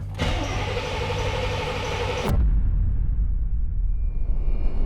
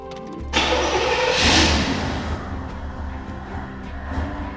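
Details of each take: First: Chevrolet Camaro IROC-Z, 18,000 original miles, abandoned 30 years, fresh battery: starter spins the V8 evenly for about two seconds with throttle given but never fires; suspected no fuel delivery. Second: Abandoned 18,000-original-mile IROC-Z Camaro V8 after 30 years, fresh coolant and fuel, newly installed injectors: cranks briefly, catches cleanly, settles into a lumpy, even idle that sounds cammed, no knocks or misses; healthy start.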